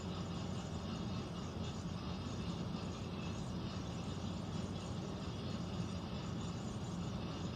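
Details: Central air conditioner air handler, heard in a bedroom and seeming to come from above the closet, gives a constant deep rumble and hum with no rhythm; abnormal droning, cause not yet known, possible leak questioned.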